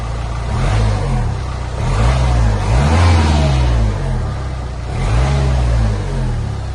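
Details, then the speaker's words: Nissan Pulsar 1.5 dCi diesel at idle: loud, deep tractor-like clatter with slow rise and fall in level but even; owner stresses it is loud by nature, not faulty, healthy idle. "I'm just going to be honest, because it is a loud diesel engine, and I don't mean loud like, oh, there's something wrong with it. I mean, it sounds like a tractor."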